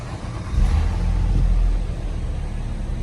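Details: 2018 Nissan Maxima after cleaning debris from mass airflow sensor and new air filter, previously rough idle and backfiring on throttle: engine picks up cleanly from idle, rises smoothly and settles without stumbling or misfire; fixed, normal.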